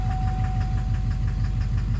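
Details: 2009 Chevrolet Duramax LMM diesel in a dually, Allison transmission, put in drive or reverse while holding the brake; sharp even knock about six per second over the idle, suspected injector knock or cracked flex-plate, not confirmed: diesel engine knock.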